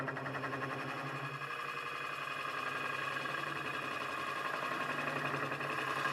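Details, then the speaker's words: Lathe hollowing a 6-inch walnut vase with a Woodcut Pro-Forme tool: rough rasping cut with a low hum and throbbing pulse, chatter vibration caused by moving the tool too quickly; fix by slowing the traverse. "So when you hear that vibration, just slow the tool down, slow your traverse down."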